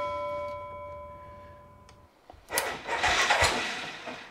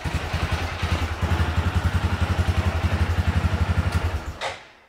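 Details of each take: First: Massimo MSU 500 UTV not cranking, battery about 12.3 V: a few sharp clicks, then the engine starts loud and rough once the starter solenoid is jumped with a screwdriver, showing a bad solenoid. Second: Massimo MSU 500 UTV, battery at 12.3 V, cranks when the starter solenoid is jumped with a screwdriver, then fires right off and thumps at a steady low idle before cutting off; the starter solenoid is bad.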